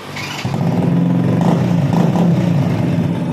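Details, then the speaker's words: Honda Supra Fit motorcycle after starter motor service (worn brushes replaced, loose magnet fixed): engine catches after a short crank, settles into an even idle with smooth throttle blips; normal start and rev. "Oke, jadi dia normal ya, normal dan suaranya halus."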